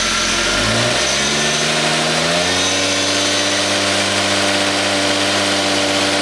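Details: Rebuilt 2JZ-GTE engine in an SC300, first start after the rebuild: the engine catches and revs climb smoothly for a few seconds, then hold at an even, steady note with no knocks or misses, running healthy.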